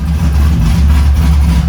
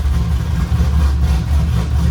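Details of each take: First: LS V8-swapped Nissan 350Z, before first drive, fuel map being tuned: deep, steady V8 burble at idle with even rhythm and no knocks or stumbles; runs and sounds sweet, normal idle. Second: LS V8-swapped Nissan 350Z during fuel tuning, after fuel was added: deep, steady idle with a slightly uneven lope and no knocks; still running lean, idle screw all the way off, air leak suspected.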